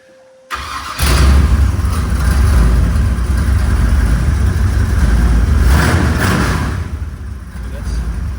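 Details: 1966 Chevy C10, 383 stroker roller V8, unstarted for about three and a half years, exhaust not fully bolted up: cranks, catches within a second, settles into loud deep steady idle; sounds healthy.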